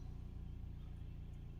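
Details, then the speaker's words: Ford Transit Connect 1.5 diesel with DPF soot and MAP/MAF correlation codes, after a boost leak at the throttle-body hose was found by smoke test: quiet, even idle after being held near 3000 rpm, no knocks or hunting; soot calculation falling on its own, normal. "So yeah, that's perfectly normal there."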